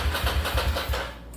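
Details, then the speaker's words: Ducati Monster 695 café racer after custom rewiring and new handlebar switches, no fuel tank fitted: steady starter chugging about six or seven pulses a second that carries on and fades without firing; starter stays engaged after the momentary button is released. "this is a momentary switch and you're gonna have to kill it but press it and oh look it's still happening"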